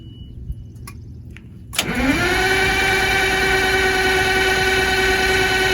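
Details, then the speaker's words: Motorhome engine, cold after sitting a couple days, usually sticks with white smoke: long crank, catches at about two seconds, settles into steady but slightly uneven cold idle; possible exhaust leak noted; hard cold start, rough running. "What you're about to watch is probably the hardest cold start I've ever had to do."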